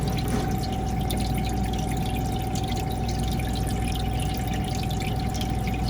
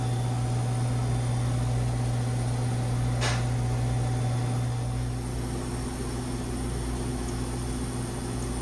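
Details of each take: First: Manitowoc ice machine refilling with water after cleaning the water level probe with ice maker cleaner; it had run low on water and ice stuck on the grid without harvesting. Steady tone over pump hum, even water trickle; refilling normally. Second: Manitowoc ice machine with a complaint of ice sticking on the grid and not harvesting: steady compressor hum as it enters harvest mode, and the hot gas valve is heard feeding.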